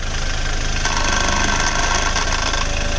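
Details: Hyundai Verna 1.6 diesel with wheel removed: fast rattling chatter and faint whirr at idle, intermittent, worst when steering turned to full lock; worn belt tensioner, silent after the fix.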